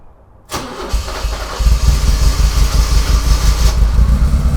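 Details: 40-year-old Porsche 944 after sorting the faulty fuel pump relay, fuel pump found healthy: short crank, catches cleanly and settles into a steady, even idle with no misses; normal start and idle.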